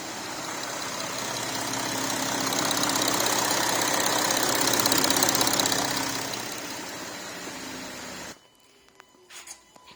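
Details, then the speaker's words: Audi A5 CCWA diesel V6 idling after replacement of all pulleys, the tensioner and the drive belt: steady, even diesel clatter with no belt squeal or chirp; running normally. "that sounds good. Start the car up, everything went well."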